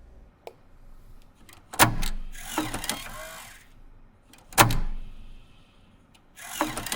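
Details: Apple SuperDrive 1.44MB floppy (Sony MFD-75W) after replacing the broken eject gear and Molykote EM-30L lube, disk ejected: two short clean whirring clicks, smooth with no grinding; sound may differ slightly due to gear shape, not louder.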